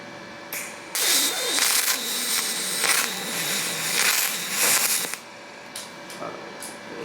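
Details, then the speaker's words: Firstess (Yeswelder) DP200 dual pulse MIG welder: arc crackles in uneven bursts that break off and restart over about four seconds; too little feed roller pressure made wire feed unevenly. "The wire was a little jerky and it's welding, but it ain't pretty. I'm going to uh try this again. It seems like our wire speed was a little slow."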